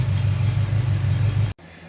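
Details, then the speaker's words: Chevy 350 V8 running with valve cover off after valve adjustment: initially hangs a valve slightly, then smooths to an even low idle rumble with no tick or miss; normal healthy idle. "And you're going to hear it smooth out here in a But minute. it will smooth out. And there it goes, back to normal."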